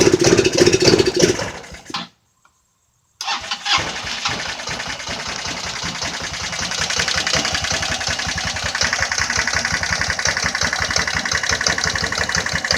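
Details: Jonway Xpressway 250cc scooter after first repairs, previously would not start at all; long crank that cuts out, pause, then a second try catches into a busy, uneven idle; still hard starting, cause unclear.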